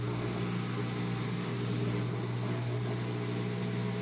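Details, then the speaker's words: Whirlpool Duet washer after replacing the drain pump (old one about 4 years old, was loud, long drain and door locked errors): new pump gives steady even low hum, far quieter, no rattle or grinding; normal drain pump operation. "this is way quieter. Kind of indication that the previous pump might have been a problem."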